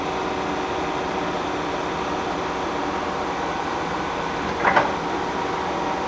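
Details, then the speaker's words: K&T milling machine spindle running: steady, even whir from the spindle and gears with one brief clink and no knocks or grinding. Running smoothly. "so you can see that the columns and the machine itself is actually running it's running good"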